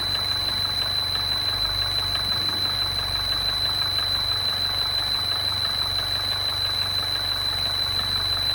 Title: MINI クロスオーバー R60 エンジン異音